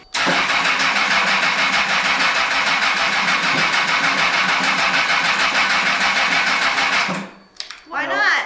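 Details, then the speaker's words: Homemade Formula 1 cart with its rear raised and the engine fuel pump circuit bypassed: the starter churns steadily for about seven seconds but the engine never catches; a power wire was later found out of place, and a cutoff is said to cut fuel and probably ignition too. "I bypassed the engine fuel pump stuff cuz for whatever reason it's not starting up but it should fire up right now"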